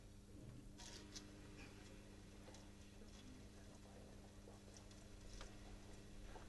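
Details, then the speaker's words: Plastic pump drawing from a plastic tank through plastic pipe, starved of suction with air bubbles pulled through: quiet hum broken by irregular soft crackles and pops of cavitation. "Pumps in cavitation. Now, the pump is starved again. You can hear it. Now, this is what cavitation sounds like with a plastic pump and a plastic tank and a plastic pipe."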